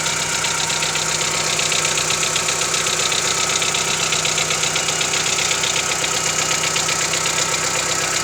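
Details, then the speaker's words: 1995 Mitsubishi Lancer 4G92 petrol, about 5,000 km since rebuild, no oil burning, compression normal, cold morning idle with a steady sharp knock about four a second lasting some 30 seconds; cold-start knock, cause unconfirmed. "Итак, Mitsubishi Lancer, 95 год, 4G92, стук на холодную. Что может быть? Заводим."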